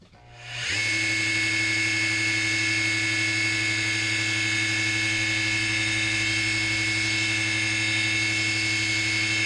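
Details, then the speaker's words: Original Sid ice skate sharpener, 60 Hz motor about 1986, belt drive about 3.6:1: steady mains hum under a harsh raspy high-pitched whine at running speed; motor bearing suspected, not yet tested without belt. "I should do is I should really run this uh should really run it without the belt so I separate the variables just run the motor without the belt to see if it's the bearing in that"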